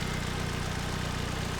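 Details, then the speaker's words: 2007 Ford Focus SE 2.0 after replacing belt tensioner, idler pulley and serpentine belt, running a couple of minutes: steady even idle, no squeal or chirp from belt end, quieter than before; old tired engine noises remain. "Alright, so it's been running for a couple of minutes. Pretty quiet as far as belt noise goes."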